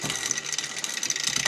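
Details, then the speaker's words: Trek Top Fuel carbon mountain bike, custom build, with KMC X2 chain instead of SRAM on the cassette: dry ratcheting clicks and clatter, shifts rough and jumpy, jumping 10 to 12, clunky at lever; owner suspects the KMC chain. Rough shifting, chain skipping gears. "it's really hard to get it to play it's going like coming down climbing up it's not happy"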